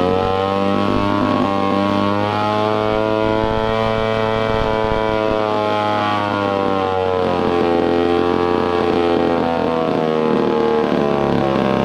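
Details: Old Poulan 306A chainsaw, sat for years, first run after carburetor rebuild and cleaning: small two-stroke idle buzz with pitch wavering and sagging unevenly; rough, bogging idle, carburetor still needs fine-tuning.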